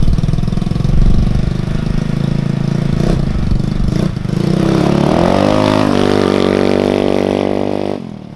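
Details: Zircon 150cc go-kart after performance parts were installed, with valves that previously rattled badly: engine fires, idles evenly, then revs up cleanly with a smooth climbing note; no valve rattle now, healthy running.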